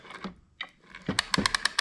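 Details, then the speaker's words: 1927 Victrola VV-4-40 record player being wound: crisp, even clicks about every tenth of a second; after adding a light spring to pull the pawl down, the ratchet catches cleanly every time. "catches now every time. Small easy fix since I can't get the part."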